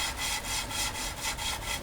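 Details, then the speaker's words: Lapping the valves of a 1.6 MK2 Golf GTD by hand with grinding paste, turning back and forth: gritty rasping strokes about four a second. The paste is still cutting the seat, which is not yet smooth. "you can hear that grinding sound I mean it's the grinding compound is doing its job it's making it smoother when that stops it should be nice and smooth"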